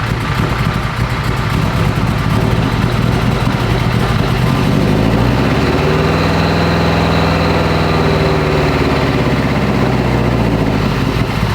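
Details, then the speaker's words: AWD-converted Honda Civic Type R, freshly rebuilt engine, first-start data-log run: steady idle with slightly lumpy, hunting note and dry exhaust edge; data log shows it running quite lean, needs adjustment. "All right, she seems to be running a little bit lean. Pretty freaking lean, if I'm being honest. It sounds lean too, so I'm not gonna run it until we can adjust."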